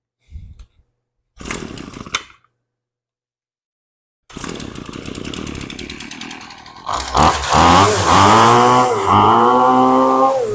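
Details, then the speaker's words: HomePro F222 trimmer after repair: a cracked primer bulb had sucked in air and made it run lean and lose power. With a homemade pre-filter air filter fitted, the two-stroke catches, idles and revs cleanly with good response. "Has good response to everything. So we're lucky this is a primer bulb. It must have been sucking air in there."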